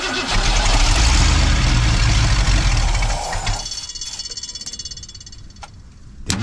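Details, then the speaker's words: 1990 Ford F250 with 351 5.8 V8, cranking on a cold day: steady fast cranking about four turns a second for three seconds with no firing; no fuel pressure at the Schrader valve. "See, we got any fuel pressure? Nope. No fuel pressure."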